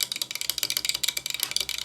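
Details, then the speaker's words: Early-1960s Astor suitcase record player motor on a variac at 168, unit not sitting flat and turntable off, before lubrication: a rapid, thin chatter of clicks, about twenty a second. The motor runs noisily; the cause is suspected to be how it is sitting. "turn the power up on the varac camera when out of focus bit noisy but could be cuz it's sitting up so that's at 168"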